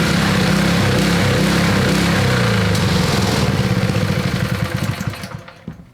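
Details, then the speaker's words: Honda GX120 engine on a Little Wonder edger, neglected for years, after service, choke partly on: uneven surging beat then falters and dies; runs then stutters and stops, fuel starvation suspected, carburetor must come off. "so it's still happening but we have to take the carburetor off to do it"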